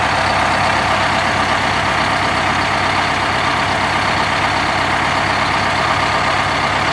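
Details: 1971 MCI MC7 bus with Detroit Diesel 8V71 two-stroke, after oil and filter change and oil-bath air filter service: loud, even rumble with steady beat, no knocks or misses; idling smoothly and healthy.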